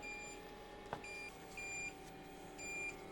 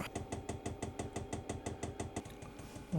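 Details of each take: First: Diesel heater installed in a shed, fed from a 5-gallon tank, first start: repeating short high beeps about once a second over a low fan hum; out-of-fuel error because the line was not primed (priming mode skipped). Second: Diesel heater in a shed running from a 5-gallon tank after priming, flame icon lit and air turning warm: steady rapid dosing-pump ticking of about six a second, lightly clicking over a low thump. Normal pump ticking.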